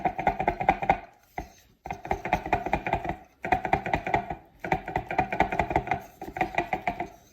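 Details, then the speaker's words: Arnott AS 3381 rear air strut for a Tesla Model S, installed just under a year: short bursts of loose hollow clatter when shaken, from something loose in its upper end. "ich wollte euch einfach mal das klappern zeigen und zwar muss das hier oben aus dem bereich irgendwo herkommen"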